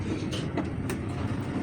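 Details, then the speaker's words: PEL automatic washing machine on spin cycle after draining, motor fault repaired: steady even low hum with no knocking or scraping, drum and pulley spin smoothly and stop when door is lifted; working normally. "ये देख सकते हैं आवाज भी आ रही है घूमने की। इसका डोर उठाएंगे तो इसका ड्रम जो स्टॉप हो जाता है।"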